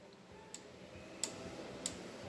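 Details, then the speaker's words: Fordson Major E27N, engine off: four sharp metallic ticks about every 0.6 s as the governor return spring snaps the throttle lever back against its internal idle stop; return spring working normally. "So the first thing we have to make sure before we even mess with this is that this return spring actually returns this to idle."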